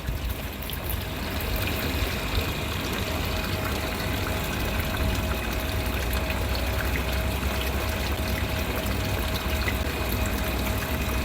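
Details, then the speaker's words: Midea 7 kg top-load washer MTE70GP after replacing faulty main control board with a Super General board, low water level selected; steady water rushing into tub over faint hum, normal inlet fill. "Now water taken to the machine. Now still taking water."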